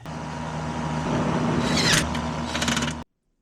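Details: Lennox AC outdoor condenser, checked after power was restored during troubleshooting of intermittent operation (contactor chattering traced to a faulty zone board). Steady compressor hum under an even fan whoosh, no rattles or squeals; the condenser is running normally.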